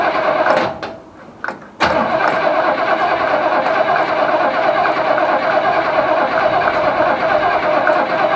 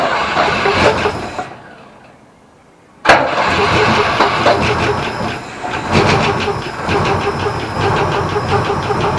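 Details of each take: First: Holden HQ Ute engine first start after sitting 7 years, fed from a jerry can via fuel pump hose: brief cranking, then catches and settles into steady, even idle with no knocks or misses; starts and runs fine. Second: Holden HQ Ute, unstarted for about 7 years, petrol poured in, battery swapped from another car: silence, then it catches suddenly and runs with an uneven, stumbling beat for about five seconds. Rough running after start.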